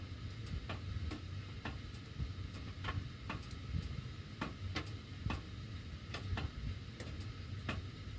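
Sharp, uneven ticks, roughly two a second, over a low furnace hum while the heat runs: the ducts are ticking, cause unknown.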